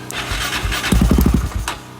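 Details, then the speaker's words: Raptor 660 ATV after a house fire, restoration with new start switch and plugs, first start on starter fluid without gas: about half a second of quick even firing pops before dying, sounded fine; brief start. "Sounded just fine for a second on that starter fluid."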